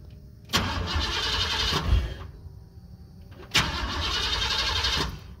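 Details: 1988-1998 Chevrolet C1500 pickup, fuel pump kicks on; two steady cranking bursts, engine never fires after heavy rain, cold then hot humid weather. Crank no start; owner suspects moisture condensation in distributor, unconfirmed.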